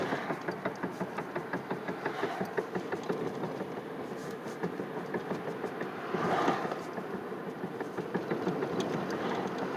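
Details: 2007 Chevy Impala after a friend replaced the wheel bearing, rotor, caliper and pads; the car now shakes and the steering is heavy in turns. Rhythmic tick-knock about three per second keeps pace with wheel speed while turning. Cause unclear. Knocking noise when turning.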